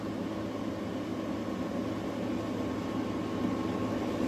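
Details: Newly installed GE AWFS10WWL 10,000 BTU window air conditioner, around switching between turbo and eco modes; an even, constant hum and airflow hiss with no rattles, knocks or pitch changes. Running quietly and normally.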